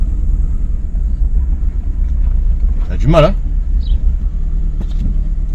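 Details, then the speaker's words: Chrysler PT Cruiser convertible with check-engine light on, long-standing misfire that has worsened; code P0302, cylinder 2 misfire detected. Deep idle rumble lurching unevenly with missing beats; cylinder misfire, coils, plugs or injectors suspected. "Ça a l'air de rien comme ça mais ça me fait des [ __ ] de ratés. C'est pas nouveau mais ça s'est salement amplifié là."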